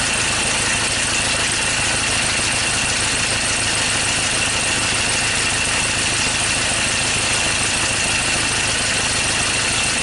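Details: 2013 Ford Ranger T6 diesel idling rough after a routine service, with loss of power and stalling; hard, uneven chatter and lumpy beat, a misfire from two injectors not contributing.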